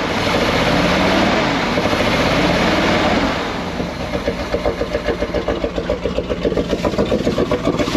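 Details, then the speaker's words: 1979 Chevrolet C20 454 big-block truck, sat about 13 years, after restart; idle chugs with an uneven, lopsided beat, cutting in and out; one cylinder missing, owner suspects spark plugs need replacing. "you can hear it cutting in and [Music] [Applause] out okay well it fired up okay good enough definitely missing out on the cylinder we need some new spark plugs"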